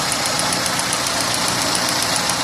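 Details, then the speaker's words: Renault on LPG at idle, before repair: original 3-ohm LPG injectors tick loudly, fast and even, like valve noise, with no other fault; replaced with 2-ohm injectors to remove the noise. "yani bildiğiniz su Walt sesi gibi bir ses geliyor ceketlerden baya sesli çalıyorlar farklı bir sorun yoktu"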